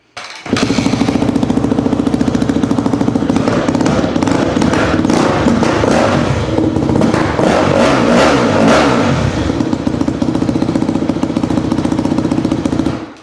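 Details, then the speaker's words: 2004 Yamaha YZ250F after engine rebuild, first start: single-cylinder revs and runs evenly, then dies when put in gear; clutch not disengaging. "Yeah, we got some problems. Some clutch issues, actually. So my clutch, I don't think my clutch is working. Put on gear, she stalled out."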